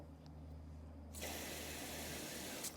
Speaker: water should be nice and strong you can hear it that's a good valve that one is good functioning